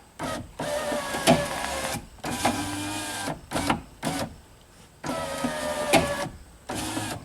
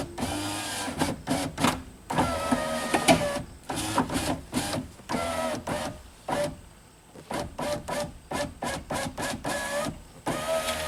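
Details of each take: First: 2003 Pontiac Sunfire, driver's window, testing after a regulator replacement. The window motor runs in strained bursts with a rough dragging tone that changes along its travel; the glass is suspected to be binding. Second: 2003 Pontiac Sunfire, driver's window after a regulator replacement. Short even whirring runs as the glass cycles up and down, with no grinding or straining; the motor sounds healthy, and the door panel flexes when the glass seals.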